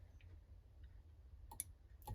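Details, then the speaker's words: Holden FB/EK horn converted to a wireless controller: the receiver board's relay gives crisp paired clicks each time the horn button is pressed on and off in a quiet room; normal relay switching after installation. "and job's done and hear it clicking can hear it clicking also can see the light through that's done"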